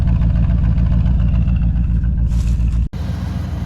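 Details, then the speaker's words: 1979 Jeep Cherokee, AMC 360 V8, first run after sitting 3-4 years, before being driven: deep, even idle burble with steady regular pulses and no skips or misses; sounds like all eight cylinders are firing. "Listen to that 360 purr, guys. If it's not hitting on all 8, I don't know why it wouldn't be. It sounds like it is. It sounds like it's hitting on all 8 to me."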